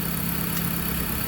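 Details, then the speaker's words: 2007 Dodge Caliber after alternator replacement, alternator wobble gone: smooth even low idle hum with no squeal, rattle or wobble from the engine front; the earlier horrific noise is now gone. "there's no more noise there was making a horrific noise when I took this old one"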